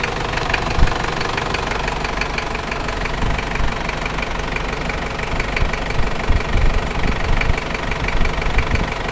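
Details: New 1KZ-T diesel engine at idle: deep, uneven knocking pounds through the idle, heaviest in the low end. Mechanical engine knocking at idle, source unclear.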